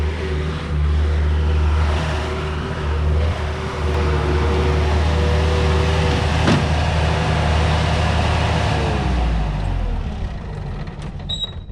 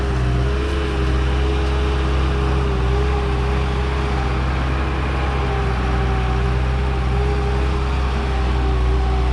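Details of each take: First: Bobcat 873 skid steer diesel with a stalling fuel issue, running on the old filter installed last time: low, steady drone for several seconds without stumbling or surging, then winds down smoothly; longest run since the problem began. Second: Bobcat 873 skid steer diesel, second try after fitting a new fuel filter: steady, even drone with no misses yet, though it still stalls later; runs longer than before, fuel tank suspected full of dirt and debris.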